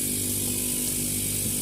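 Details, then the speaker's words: Fridge compressor GFF57AA (1/6 HP plus, data says 1/5 HP) running on its overload: an even hum with a constant hiss and no knocks, drawing 0.71 A on the clamp meter in normal running. "Oke, ini kondisi running ya, kondisi running."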